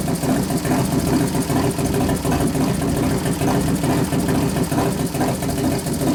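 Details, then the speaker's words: 1993 Harley FXR Evolution 89ci stroker, new build first start-up, air cleaner off: lumpy, loping idle with an even beat and a few light throttle blips; healthy normal idle. "I turn the acceler pump down a couple turns so I cuts a lot of that out sounds good we got to readjust it once you put the air cleaner"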